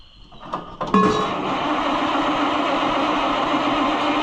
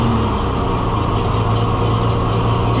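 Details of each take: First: Oliver 1800 C series tractor that sat about a year, battery reading 11.8 volts, starter churns steadily about four seconds with no firing or catch; cranks but won't start, and the owner wonders whether the spark needs checking again. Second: Oliver 1800 C series tractor that sat about a year, just started, settles into a steady low idle with an even beat and no knocks or misses, with oil pressure and charging; running well for having sat so long.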